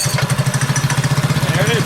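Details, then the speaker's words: Predator 212cc single on a modified Coleman KT196 go-kart, started cold with a little throttle, idles higher than usual at about thirteen even thumps a second; owner attributes the raised idle to the advanced ignition timing. "actually hiding them idling a little higher than it usually would be you know on Volkswagens if you advance the timing difficult the idle speed will pick up"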